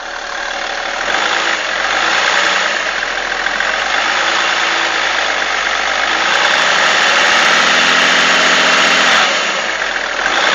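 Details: BMW E46 330d diesel at idle: fast, uneven tapping and wavering mid-pitch whir from behind the power steering pump, cause unknown; abnormal noise at idle.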